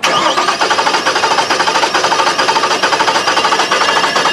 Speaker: Good compression. Okay. Here's what it sounds like with a single cylinder with no compression.